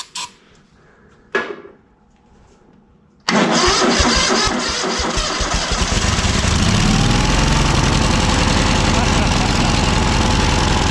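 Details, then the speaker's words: ZT200 mower twin after ignition conversion and carb parts, cold, on choke, run indoors: cranks briefly, catches, then settles into a steady run, slightly uneven while cold; now running. "oh i should've done that outside okay it runs i'm happy with that"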